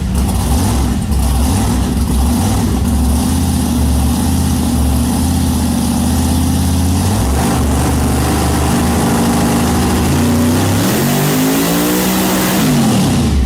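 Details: Rebuilt blown alcohol-fuelled big-block Chevy with Dart heads and shaft rockers, in a truck on a chassis dyno: deep hard-hitting idle that pulls cleanly up the revs and drops back smoothly; running strong and even.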